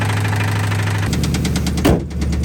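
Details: Rod knock in a Jetta: rapid, steady deep knock over the idle, keeping pace with the engine; oil had about 20,000 miles, Marvel Mystery Oil tried as a fix without success; copper chunks found, bearing failure believed, engine needs replacing.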